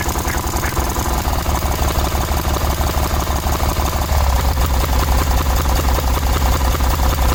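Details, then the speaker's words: 1986/1987 Cub Cadet 1106 riding tractor, sat over 4 years, first start: single-cylinder thumping ragged beat, stumbling and missing, sputtering; owner smells very old rank fuel, suspects stale fuel; throttle also stopped working. "Well, it was running good for a second there. Then I started smelling really old rank fuel, and it's starting to sputter and act funny."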